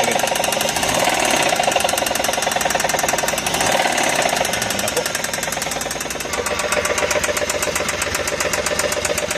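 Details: Suzuki DA64V van engine, running: rapid sharp ticking knock, about two to three hits a second, rides steadily over the engine; internal knock, cause not pinned down.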